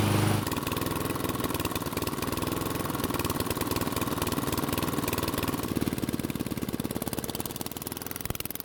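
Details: Unmaintained Toro mower after valve clearance adjustment (intake was too tight): runs evenly, then within seconds the beat turns ragged with looser clatter and throttle doesn't respond; a rocker stud has worked loose.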